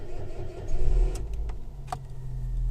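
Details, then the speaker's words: 2005 Toyota Yaris Mk1 1.3 automatic with a new, fully charged battery: sluggish, labored cranking that dims all the lights, then a low metallic hum once it starts; failing starter motor. "the old battery and then when it starts you hear a hmm type noise coming through and that's basically the issue here I've got is I need to change the starter motor so it's on its way out"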